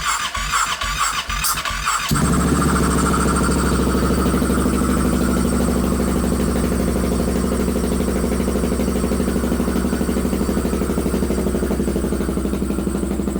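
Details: Polaris 570 buggy first startup, radiator not hooked up, power steering disconnected, power steering and engine lights on: two seconds of cranking, then it catches cleanly and settles into an even, steady idle with a crisp exhaust note; healthy.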